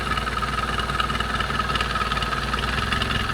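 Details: Chevy 2.2 four-cylinder idling after a cylinder head replacement: irregular light ticking a bit over two per second, an exhaust leak heard toward the back near the EGR valve pipe; manifold ruled out, exact spot unconfirmed.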